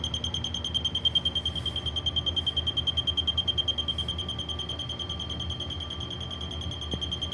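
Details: Leak detector used on a concrete floor during a water pipe leak search: shrill high beeps about three per second over room hum at a steady fast rate, rising faster nearer the leak, showing that spot is closer to it.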